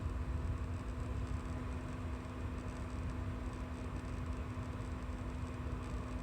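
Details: EVGA 750W Bronze BQ power supply under load: steady low electrical coil whine over a dull rumble.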